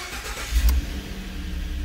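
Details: 2013 Ford F-150 with intermittent no-crank and module communication issue, after reseating a loose connector: short crank, then engine catches and settles into a steady low idle; starts cleanly.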